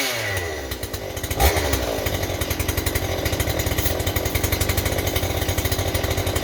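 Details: Stihl 028 chainsaw with blowback, after new crankshaft seals and a carburetor rebuild: climbs to a high screaming rev and holds it, running away, possibly lean; owner suspects an air leak at high rpm behind the carburetor or intake boot, or the carburetor.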